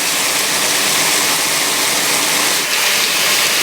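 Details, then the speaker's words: K605 Kelvinator washer filling alongside a 1996 Whirlpool: steady hiss of water rushing in, motor barely audible, no drone, knocking or rattle; normal quiet fill. "oh there it is so it did start first and you can hardly hear it too"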